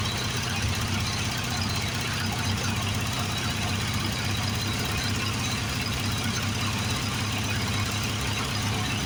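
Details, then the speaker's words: Late-80s Craftsman GT6000 garden tractor with 18 hp Briggs engine, sat outside for a while: steady rhythmic cranking that never catches, and no pulse felt from the vacuum pulse fuel pump; owner suspects a bad fuel pump or sticking float. "Not feeling any pressure. We're not getting any fuel pump pressure at all. So I think the fuel pump might be bad, or it's just, well, these are a vacuum pulse pump, and I should be feeling some, at least a little pressure."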